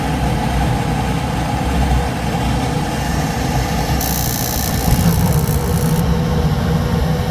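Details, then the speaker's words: Goodman package unit, newly installed replacement inducer motor running: steady, even drone with smooth low hum, no rattle or scraping; much better than the old one. "New inducer installed. Let's go ahead and see how we're doing. Sounds a hell of a lot better than it did the first time."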